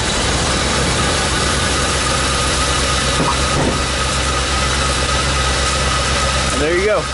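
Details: Van engine after a cold 30-degree-morning jump start from a dead, tired battery: steady, even idle with a constant low rumble, no misses or knocks; normal cold idle, running cleanly.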